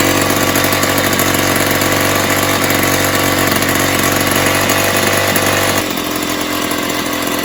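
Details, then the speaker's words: 1970s Puch Maxi E50 50cc two-stroke moped engine, bench-started with parts missing: fast buzzy ring-a-ding at a steady tickover, about three beats a second, running evenly; carb was leaking a little and needs cleaning and tuning, normal idle. "so yeah result um it's a runner um the card was leaking a little bit"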